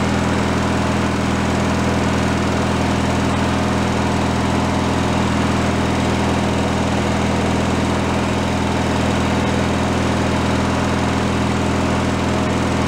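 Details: Free derelict Craftsman riding mower single-cylinder engine, started by key on fresh fuel after repairs, warming up before an oil change: steady, even putter at constant speed, no hunting or surging; normal idle.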